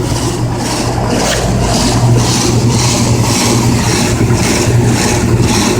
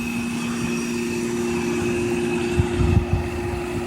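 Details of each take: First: Older Goodman CKL series heat pump condenser with Tecumseh compressor, dirty and sweating: heavy low hum throbbing about twice a second over fan rush, vibration felt through concrete; excessive vibration, cause not pinned down. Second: Trane Weathertron heat pump outdoor unit, about 15 years old, original condenser fan motor, only contactor and run capacitor replaced: steady low hum, even fan whoosh and constant faint tone, no rattles or scraping; normal running.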